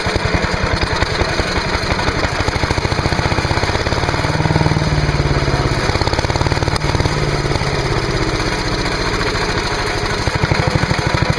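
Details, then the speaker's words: Trash-picked MTD chipper/shredder, 5 hp Briggs & Stratton, air cleaner off after starter fluid: chugs at fast steady beat, slightly uneven, running on fuel drawn from tank; has spark and fuel, little wrong; stale fuel suspected, not confirmed. "well that was interesting and I think it demonstrates that we really don't have very much wrong with this at all we got spark it actually was sucking fuel"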